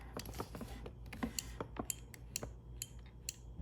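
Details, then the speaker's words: Porsche 911 Turbo door, panel off, diagnosing window not staying down: door-handle micro switch gives crisp light clicks about twice a second as the handle is pulled and released; switch works, so fault lies elsewhere. "you hear that switch pressing, and that works."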